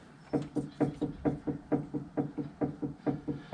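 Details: Vauxhall Corsa D front suspension: about two dull clunks a second as body is rocked, also clunking on uneven roads; worn anti-roll bar drop links, replaced.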